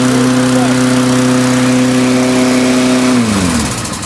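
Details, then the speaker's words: Lawn Boy mower, model 10673, carb recently cleaned. After moving the governor arm to raise rpm, it holds a steady, high, strained pitch about three seconds, then drops as it's throttled back. Governor set too high, causing over-revving; to be readjusted down. "you can clearly hear that was a little too much so now I'm going to come in and adjust it"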